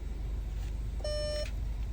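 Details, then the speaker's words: VW/Audi gear selector after park micro switch bypass for fault B116229: one clean half-second buzzer tone with the lever nudged; switch set too sensitive, triggering false shift-to-park warning, fixed by readjusting. "But I've readjusted it a little bit because it was very sensitive. I only had to move it a little bit and it was triggering the park thing."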